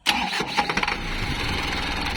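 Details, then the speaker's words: Mitsubishi 4M51 diesel that had hard starting and low power, after replacing the computer box and spill valve module: brief crank catches within a fraction of a second and settles into a steady, even idle; clean start. "Good. Good na. Good na. OM 51 low power at hard start. Okay na. Good na."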